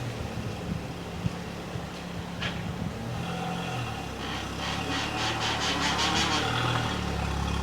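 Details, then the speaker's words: Salvage car reversing; engine and tyre noise with a quick rattling, ringing chatter ("ding") while moving backwards, which the owner blames on the gearbox and suspects needs a new gearbox, unconfirmed: noise when reversing. "so as you can hear it's the gearbox when the gearbox is in drive going backwards you get that Ding"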